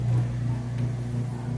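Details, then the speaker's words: Whirlpool top-load washer draining after agitating a heavy jeans-and-towels load, before first rinse and spin: steady even low hum with no knocking or rattle as water pumps out; drain pump running normally. "Alright, now the drain is running. You can hear it draining out of there or"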